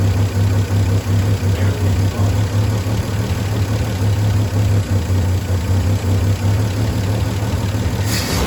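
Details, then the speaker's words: Volvo 164 B30 engine, running after sitting since 1994, cleaned and oil changed, no choke, water pump not connected. Steady even low rumble with a regular beat, no knocks or ticks; healthy idle. "and it didn't have a knocky sound either no she sounds fine she sounds really healthy"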